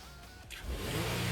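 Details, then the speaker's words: 2015 Nissan Quest after an idle relearn with an Autel IM608 for high idle (codes P0507, P0101): quiet idle, then smooth rising rev that settles evenly with no stumble or hunting; engine responds cleanly. "all right so as you can see it says complete and we have the idle stable ready we're gonna give it a little bit of rip to see it's going to perform fine"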